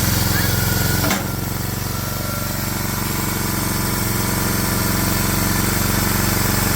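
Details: Swisher 22-ton log splitter with a 7 hp Briggs & Stratton engine, restarted after carburetor cleaning to cure surging, now a steady, even single-cylinder putter holding one speed with no hunting; normal smooth idle, fix successful.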